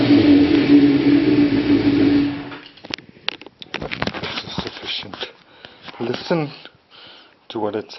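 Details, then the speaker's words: 1992 Kawasaki ZZR-600 (ZX600D) after renovation with new chain, sprockets and brakes, likely stock exhaust: catches and settles to steady even idle, rising and falling cleanly on throttle blips. Normal start-up and revving. "like and starts up not bad I think it's a stock cly exhaust"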